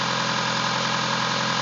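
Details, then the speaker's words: DSM engine with revised 3G lifters, which were checked and are getting oil: steady idle with fast, even metallic tapping; owner suspects a rod knock that comes and goes, cause unconfirmed. "That's not the lifters. That's a knock of some sort."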